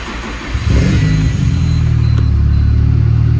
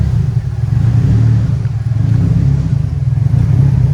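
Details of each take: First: Turbo Nissan Silvia S14 Rocket Bunny with wild tune, completely cold start (kept indoors): brief crank, fires at once into a strong steady low idle with no misfire before its cold tune goes lumpy; normal cold start. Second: Turbo Nissan Silvia S14 Rocket Bunny race car, 144,000 km, just after cold start: cold-start tune enters lump mode, a deep uneven loping idle swelling and dipping at low revs, which smooths out as it warms; lumpy idle from cold tune.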